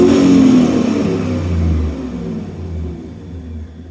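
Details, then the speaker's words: 2002 V8 truck with one-bank misfire and opposite-bank high fuel trims, front O2 sensors suspected: revs up cleanly and drops back smoothly with no stumble or misfire; sounds better, both sensors now respond. "slowly raise the RPMs up it sounds better too"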